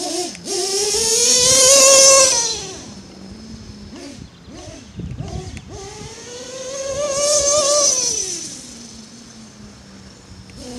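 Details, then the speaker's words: Modified Nova nitro RC engine, still cold during warm-up: revs up three times with a wavering, slightly burbly tone from a deliberately rich mixture, to be leaned out once warm. "running really rich me to get her warmed up you can hear it sounding running rich never gets warmed up it'll want to get leaned out when you're when you're wet when your shits cold like this you initially want to run it kind of risk anyway until it gets warmed up"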